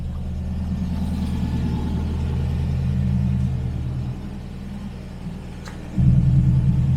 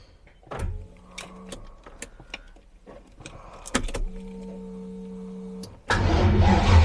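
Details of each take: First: TVR Griffith 500 with Rover V8, after fixing a bad coil wire connection, running before warm-up: deep even burble with steady lope and brief blip; all cylinders firing, healthy idle. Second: TVR Griffith 500 with Rover V8, new fuel, running without air filter: starter whirs in short bursts with scattered firing, then a brief rough catch; ignition cutting in and out from a bad connection, coil wire suspected.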